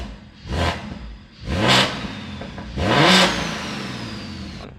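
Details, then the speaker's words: BMW 340 Gen 1 B58 big single turbo, stock motor, boost leak fixed: three sharp rev blips, rising turbo whistle and clean hiss trailing off; normal spool, though it logged possibly 40 psi overboost. "And uh we're going to see how it goes. But uh even the turbo sounds different now."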